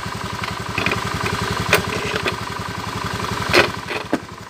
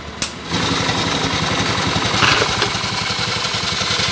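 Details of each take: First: Scooter CVT after the belt fix and the cover closed: even, steady idle pulse with no rubbing or flapping from the belt case; normal quiet CVT belt drive. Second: Scooter with CVT cover opened, engine idling: harsh gritty dry scraping over a steady idle, drive belt rubbing against a component in the transmission; fixed by dressing it with coarse wood sandpaper.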